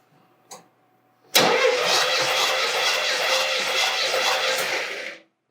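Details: Chevelle 350 small block during compression test, in the car before removal; steady starter cranking with even beats about four per second, no dragging or skipped strokes; reading about 150-151 psi, consistent.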